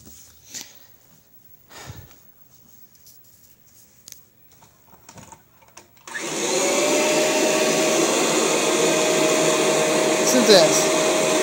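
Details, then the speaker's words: 1996 Kirby Generation 4 80th Anniversary Edition vacuum after replacing the suction fan: a steady, even motor whirr and airflow rush at a constant pitch; it runs well, though somewhat noisy with age. "even the pan on the side works now this yeah makes noises now but you know it's getting old"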